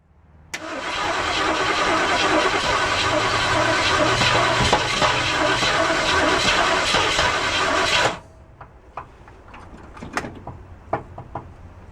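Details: 1967 Ford Mustang, pedal pumping while cranking: eight seconds of steady starter churning with occasional sputters that never catch. Crank, no start.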